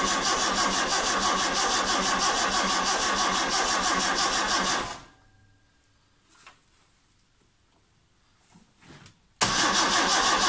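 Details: Vauxhall Chevette HSR replica not started in years, spark unchecked, sluggish starter, direct engine earth fitted: steady rapid starter churn about three turns a second for five seconds, never catches.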